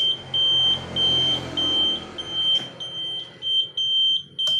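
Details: Yamaha F1ZR converted from halfwave to fullwave battery-DC charging with a Megapro/Tiger regulator, engine off: steady high-pitched turn signal beeps about 100 per minute, evenly spaced; the flasher works normally.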